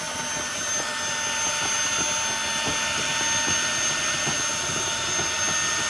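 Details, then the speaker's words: Wet-dry floor cleaner on max mode during a heavy mess test: loud steady high-pitched scream from the suction motor with faint ticking as the intake clogs, then it blocked and stopped; motor whine under load. "it's on max mode [Music] sounds like it's screaming"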